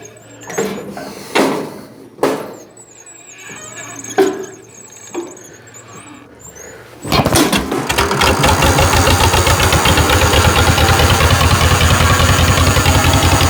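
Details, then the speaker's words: 1949 John Deere Model M tractor hand-cranked cold at 27°F with thick oil: a few lone pops while cranking, then catches and settles into an even steady thumping idle; healthy cold start. "there we go we'll go ahead and let it warm up for a little bit"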